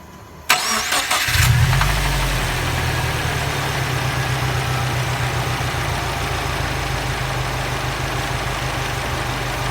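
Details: 2011 Subaru WRX, 80k miles, Cobb stage 2+ off-the-shelf tune, catted downpipe and intake: cranks, catches and idles with a steady low pulsing tap under the exhaust; rod knock suspected.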